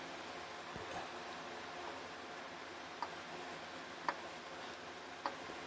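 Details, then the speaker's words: 1999 Ford Mustang GT 4.6L SOHC, engine opened: faint sharp metallic clicks as connecting rod rocked side to side by hand, excess play causing the engine's knock. Connecting rod bearing excess play. "not sure if you can hear it it's a slight click you see on this one if i do the side to side nothing happens that's what's causing your knock"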